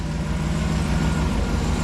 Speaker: no more uh fan blades sound so it was obviously the Bendix gear that was floating back and forth and hitting the flex plate